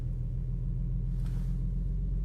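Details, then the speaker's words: Infiniti G35 Sport HR sedan after tightening the loose ISR Y-pipe and its missing bolt behind an exhaust leak and high idle, code cleared: low, smooth, steady rumble with no ticking, puffing or hunting; normal idle. "just turned her on after I erased the code, and it's idling back to normal."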